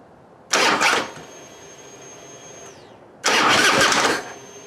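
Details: Harley Heritage Softail after fuel pump replacement, no fuel in tank: two short bursts of even starter cranking with a quiet pause between, no grinding or clicking; starter turning engine over normally.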